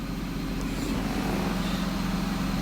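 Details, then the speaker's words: 2006 Mazda MPV 3.0 V6 that is hard to start and stalls, with a scan tool requesting about 4000 rpm while the IAC sits at 100% duty cycle. The engine holds a steady, low, even drone barely above idle and never climbs. The idle air control valve is sticking and was replaced. "iac is maxed out at 100 duty cycle so basically what we have here is i'm pretty sure this is a sticky idle air control motor or solenoid yeah this sucker is not responding"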